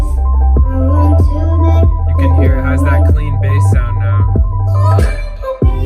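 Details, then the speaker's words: BMW E90/E91/E92/E93 center dash speaker playing music after being removed and repaired with glue. Deep, steady bass with no rattle or buzz. Normal speaker playback. "i'm gonna give you guys one more sound clip just to show you that it works now all put back together"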